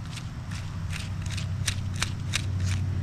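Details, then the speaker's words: Worn throwout (release) bearing from a 2005 Toyota Tacoma X-Runner, 4.0 L V6, 6-speed manual, removed during clutch replacement and spun by hand: irregular dry clicks and gritty rasp, about three per second, over a low hum. "but this sucker is wore out"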